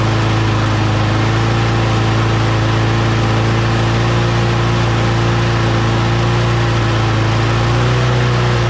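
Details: Mower engine after parts were blown out with compressed air and refitted, primed three times: steady even drone with constant low hum, no misses or surging; runs properly, though the primer still isn't priming.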